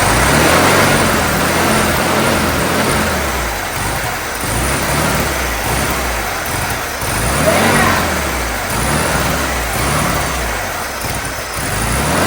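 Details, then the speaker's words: 1972 VW Super Beetle air-cooled engine, first run after 30 years in storage, choke and throttle held open: catches and keeps running, surging about twice a second as it feeds on sprayed fuel, with no knocking or grinding. "Nathan, she runs, dude. That is 30, so cool. Sitting 30 years and she's a runner."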